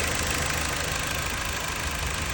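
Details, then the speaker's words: Jeep Patriot petrol engine idling steadily and evenly before the suspected vacuum leak is checked; it soon starts shaking at a high idle, then returns to a normal idle after sitting. "So, I don't know if you can hear it running. It's running fine right now."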